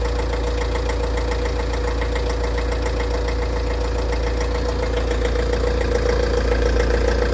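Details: Tata Safari Dicor diesel at idle: steady sharp knock about three to four times a second, mostly blamed on a glow plug; clutch release bearing noise also present.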